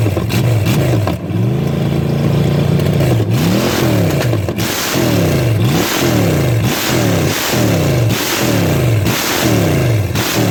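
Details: Chevy small block 305 V8 bought for $50, running with carb and HEI distributor: blipped repeatedly, revs rising and falling cleanly with no misses, knocks or hesitation; normal, healthy revving.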